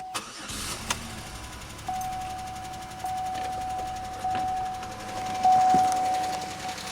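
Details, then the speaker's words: 2003 Pontiac Grand Am GT coupe with coolant-contaminated oil and low coolant light: cranks, then rough idle with a steady high hum and faint tapping. Owner suspects upper-end noise rather than rod knock; engine top-end noise. "That definitely sounds like upper end noise. I think that'd be a whole lot worse if it was a rod knock. But it runs."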